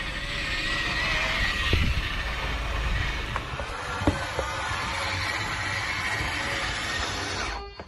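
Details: 2020 Grand Design 260RD fifth wheel slide-out extending: steady motor drone with sharp pops every second or two; the slide floor is separating from the wall, before repair, with catastrophic failure feared after repeated extensions.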